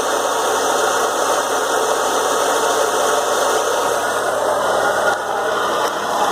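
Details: BMW E36 M3 at idle after a 2-hour drive: harsh, constant rattling roar over the engine, unchanged; confirmed as a failed AC compressor and a pulley damaged by play in the compressor.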